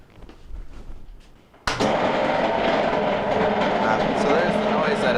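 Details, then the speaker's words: Belt-driven Maytag MAV6451AWW washer: after a quiet moment a loud, rough grinding racket with rattling beat, not agitating though draining and spinning fine; failed transmission. "making so that's the noise that it's making and um you know it's not it's not agitating instead it's making all that racket"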